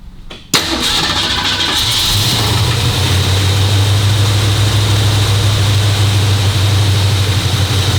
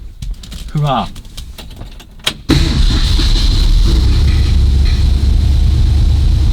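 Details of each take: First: 1965 Cobra Fastback fitted with a 302 engine replacing the original 289, automatic choke on the highest fast-idle cam step: catches and climbs to a steady roar near 2100 rpm; fast idle set too high, backed off to about 1500 rpm. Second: 1965 Cobra Fastback with replacement 302 V8 and automatic choke, idle screw adjusted half a turn down from about 2100: steady raised fast idle with no surging or hunting, set at just over 1500 rpm on the rev counter.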